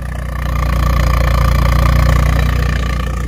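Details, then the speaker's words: Car after an oil leak repair and new battery, no check engine lights, oil change still due; deep, lumpy low rumble pulsing steadily about four times a second, idling smoother but "like a tractor," normal idle. "no oil leaks I'm really enjoying that that makes me so happy idles a lot smoother still sounds like a tractor but"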